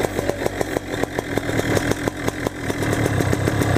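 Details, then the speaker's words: Used Black Hawk 125 paramotor two-stroke that overheats and stalls at idle. Carb cleaner sprayed around the engine makes the popping idle dip and recover, showing an intake air leak, found between the carburetor and the reed valve assembly. "just take some carb cleaner and you spray it around at different points for the engine where air potentially leak is you can hear the here the RPM change a little bit"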